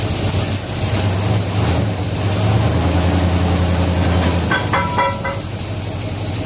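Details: 1967 Chevelle V8, first start since 1977 on original wiring (minus front clip) after cleaning bad ignition switch contacts; catches and settles into steady, even lope with no knocks or misses, normal idle, oil pressure about 40 psi.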